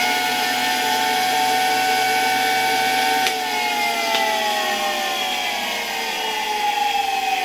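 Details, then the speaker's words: 1965 Alfa K2 vacuum cleaner, Sk-5b universal motor by FAWOD Wrocław, found dirty and neglected, powered via autotransformer: even high whine drifting slowly down, no grinding or knocking, quiet bearings, little brush sparking; motor runs healthy. "The bearings aren't making much noise, and there's not much sparking in the brushes. Overall, the motor runs quite well, which only confirms the good quality of these motors,"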